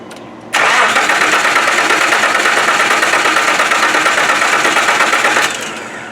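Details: 1995 Nissan first start attempt with fresh oil, no coolant, and a spare ignition coil: starter cranks steadily about five seconds, roughly three beats a second, never fires; no spark seen, coil suspected bad, not confirmed.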